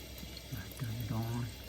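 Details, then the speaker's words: LG dishwasher after drain pump cleared of a stuck bead and intake pipe leak sealed with a rubber ring: steady rush of water flowing in, no dripping or spraying; normal water fill, not leaking. "i know it's not leaking you see you can hear the water going"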